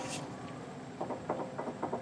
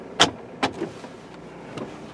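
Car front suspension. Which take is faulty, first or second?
first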